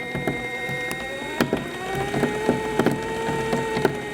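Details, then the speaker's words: Toylander 2 Land Rover ride-on electric build in reverse: light motor whir with sharp irregular clicks about every half second from the chain drive; a dial gauge showed the sprocket was welded at the wrong angle. "right you will hear a bit of a click and what's happened is and what I've realized now is I've put a dial gauge onto the onto this wheel onto the sprocket and the sprockets actually welded a wrong angle and that's what's making the clicking noise"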